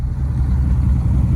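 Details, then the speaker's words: 1998 Dodge Ram after curing a high-pitched whine, with the power steering pump (used) and the alternator replaced: a deep, steady rumble with no whine. The exhaust is loud and open because most of it is missing. "Oh yeah, sounds a lot better."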